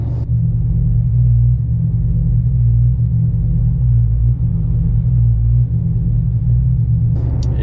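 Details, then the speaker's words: Hemi 5.7 V8 with a Texas Speed Stage 3 cam, recorded after mufflers were added. Deep, lumpy idle whose rumble swells and sags slowly and unevenly every second or two. An annoying idle surge when coasting to a stop; the owner suspects turbulent flow is misleading the O2 sensors on air-fuel ratio. "I'm hoping that that'll actually help with the air-fuel ratio, and we can kind of like get this tuned in a little bit better. I can get rid of that annoying idle surge."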